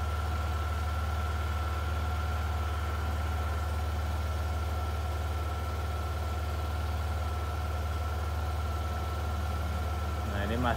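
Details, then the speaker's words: Yamaha NMAX scooter with warning light on, after reassembly: steady idle held noticeably fast without dropping back; RPM too high, light comes back on, rescan pending; dirty ISC and too-tight throttle cable later found as causes. "terlalu tinggi ya untuk R pm-nya kita harus cek kembali ini"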